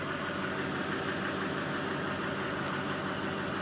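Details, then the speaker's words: 2001 Duramax turbo diesel HD2500, 4WD, Fisher plow, 181,000 miles. Cold start on a chilly morning after about 4 days sitting. Even diesel clatter at steady cold idle, no misses or knocks, great oil pressure. Healthy engine. "great oil pressure this is one good running truck has 181,000 Mi on it"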